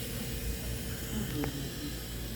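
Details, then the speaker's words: Refrigerator compressor: steady airy hiss from the compressor body that continues after unplugging, with pressure too high while running and barely rising from 40 to 60 PSI; internal gas leak-back, loss of compression. "chado ó o que eu vou fazer vou desligar eu desliguei a tomada e o chiado continua ouvindo esse barulho aí"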